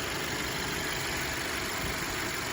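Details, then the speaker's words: 2018 Audi A4 2.0-liter idling steadily with no stumbles, shakes or hunting after its subtle rough idle was fixed by installing correct spark plugs in place of the wrong ones fitted by the dealer. "you know why it was rough idle it's pretty smooth now"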